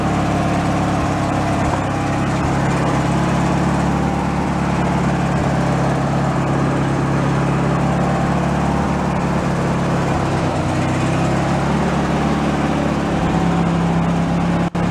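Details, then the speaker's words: Free derelict Craftsman riding mower after repairs, reassembly and safety switch reconnection, function check: steady, even engine drone holding one speed, no knocks or misses; normal running. "let's go fire it up and do a function check see how the trans is and all that"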